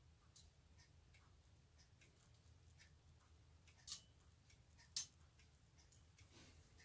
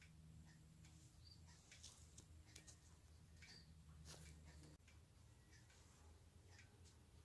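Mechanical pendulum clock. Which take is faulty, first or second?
first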